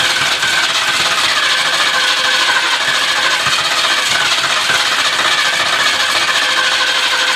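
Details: 1978 Ford LTD cranking right after starter replacement: continuous fast, even starter whirring for over seven seconds with no firing; engine turns over but will not start, cause not yet identified.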